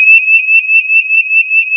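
A shrill, steady high-pitched warbling tone sounds continuously for two seconds, the leak alert from the detector gateway.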